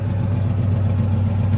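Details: Cammed LS-swapped 1968 GMC truck in for wiring and tuning, idling: deep lumpy V8 idle with a steady low rumble and an even loping beat, running clean.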